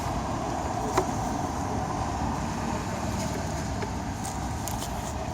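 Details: Opel/Chevrolet Ecotec petrol engine idling with a fast, light rattling tick from the top-left side of the engine; worn intake camshaft VVT actuator, a common failure needing replacement.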